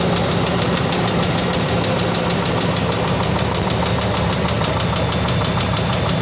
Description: 2004 5.7 Hemi Durango. Loud Tick developed overnight. Dodge says its a lifter, but will have to tear engine down to be sure.